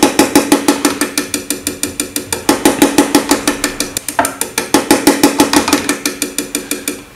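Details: Common rail injector on an MM03 mini tester in continuous cycle mode: sharp, even clicking about three times a second with a crisp hiss on each pulse. Normal injector spray pulsing.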